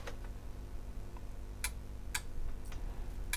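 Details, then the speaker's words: Panasonic SA-BT330 Blu-ray home theatre with F76/F61 errors, forced off by holding the power button about 10 seconds: four or five sharp little clicks over a few seconds as relays drop out on shutdown. "but that's off it's done a few little clicks there"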